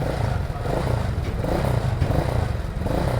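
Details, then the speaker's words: Freshly built Honda Click 160cc single bored to 59mm (MTRT block, Kyobo cam, MTRT valve springs, adjustable cam gear): a quick, even blip with a tight exhaust beat and a quiet top end, no knocking or rattle. Sounds healthy. "Ayan, kung maririnig nyo is tahimik na tahimik yan mga par, dahil syempre bagong buo yan."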